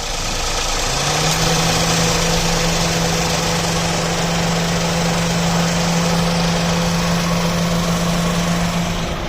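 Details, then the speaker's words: Toyota Paseo after AC compressor pulley bearing replacement (bearing had been noisy; refrigerant gas kept in): engine idles evenly, AC engages with a smooth steady hum, no growl or squeal; pulley bearing runs quiet, repair successful. "तो ये देखें माशाल्लाह से बहुत ही ज़बरदस्त काम कर रहा है अल्हम्दुलिल्लाह"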